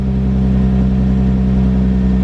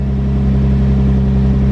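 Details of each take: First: Infiniti G35 after replacing ignition coils and spark plugs for P0304 cylinder 4 misfire: smooth unbroken idle hum, steady pitch, no skips or stumbles on all cylinders. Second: Infiniti G35 with code P0304, cylinder 4 misfire, old broken ignition coil refitted: loud low engine drone with slightly uneven, lumpy beat at idle from the failed coil misfiring.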